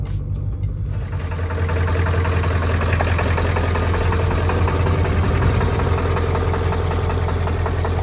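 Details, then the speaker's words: Ford F-250 7.3L Powerstroke diesel, cold start: settles into a steady low idle with an occasional faint stumble in the beat; slight misfire at idle while cold. "Cold start, baby. Little baby miss, but that'll do."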